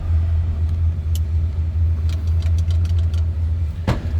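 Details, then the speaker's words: 1939 Ford Model 85 pickup, flathead V8, 6-volt system, in neutral: low, steady idle burble with an even beat, no knocks or misses; runs like you'd expect a flathead, normal idle. "But first, we're going to fire it up so you can hear it run. Runs like you'd expect a flatty,"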